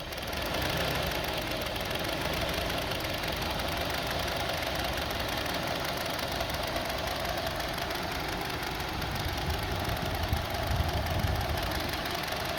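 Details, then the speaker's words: 2002 Honda CR-V 2.4 L, sensor plugged back in; engine shakes with a lumpy uneven idle and rise and fall in RPM; cause not yet found, new plugs fitted, coils to be checked next. "See, let's put it back. See now, engine is shaking."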